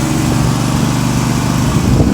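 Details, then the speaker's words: 18hp Briggs & Stratton Vanguard V-twin swapped into a John Deere 316, running outside on 3/4 choke with the air filter refitted: rough, uneven sputtering that dies when the choke is removed; lean running from a clogged main jet. "Okay, so I got her outside, and you can hear that it's sputtering, and that's actually on 3/4 choke."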